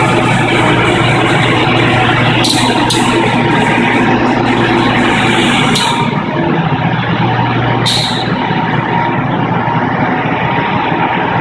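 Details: Crematorium at start-up: a loud click-like noise, heard very clearly over a steady roar and low hum, as sharp hissing clicks every few seconds; the main-panel buttons blink at the same time, and the valve is blamed.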